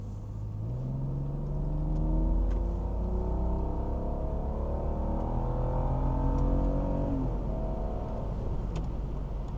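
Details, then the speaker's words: 2001 BMW E46 330i automatic, warmed up, full throttle with the transmission shifting on its own; engine pulls hard, revs rise then drop cleanly at each shift with no flare or slip, shifts strong and clean; normal automatic transmission shifting. "trans feels real strong shifts really clean so this time I'm going to give it the juice but just let the transmission do all the shifting and I'll show you how smooth she shifts"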